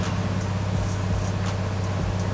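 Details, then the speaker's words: BMW 335i after replacing DMTL pump: engine cranks with steady drone but won't start; possibly out of fuel, with the fuel gauge suspected of reading wrongly. "guys my friend is a genius so my friend was like sometimes that gauge lies to you and your fuel like you're out of fuel like I guess there's something wrong with my gauge"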